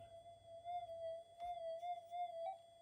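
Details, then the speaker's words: Modified Minelab GPX 5000 while the cable is twisted and wiggled: a wavering steady tone is broken by a sharp click and a beep, then it resets. A stressed Mylar/connector is dropping out and remaking and needs replacing. "oh there it goes It beeped here it beep yeah and it went to like a Mumble mode and reset that's because uh I've I've stressed a myar out too much on this and I really need to replace it"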